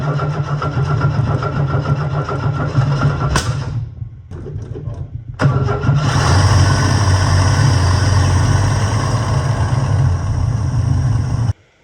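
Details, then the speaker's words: Ford XA Falcon inline-six, after fixing a fuel mixture screw that had been spinning freely: catches, dips once, then settles to a steady, even idle with no misses or knocks. "All right, let's call that pretty good. There we go. Run like an absolute gem."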